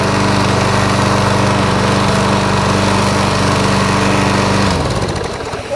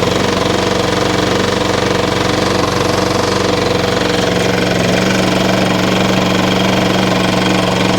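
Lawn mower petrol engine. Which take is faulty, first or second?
second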